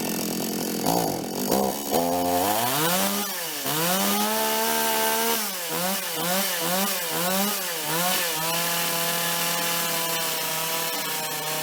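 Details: Toyama TCS46H chainsaw after carb cleaning, idle screw (T) turned down slightly, L needle 1¼ turns, cutting: revs climb, sag as the chain bites and recover cleanly; previously started then flooded and died on throttle, now healthy.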